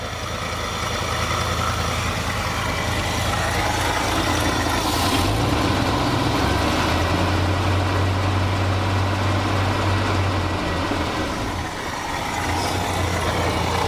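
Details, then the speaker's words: 1966 Ford F250 carbureted engine, started after sitting overnight following the fuel tank job: a rough, uneven low idle surges and sags before fading out as the float bowl empties. Fuel starvation is suspected. "Yeah, I think it's out of fuel at this point, so let's crank it just to see if there's no fuel. Man, it just died like hardcore, like it was run, and just poo, like it was done."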